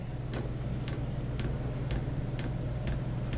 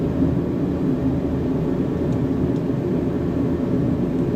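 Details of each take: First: Diesel heater that had trouble starting, owner suspects a bad or lodged pump: soft regular ticking about twice a second over a low steady hum as the pump delivers fuel while the heater tries to light; cause unconfirmed. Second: Diesel heater, exhaust checked clear, set low: steady, even low roar with no sputtering or surging; burning cleanly and running normally.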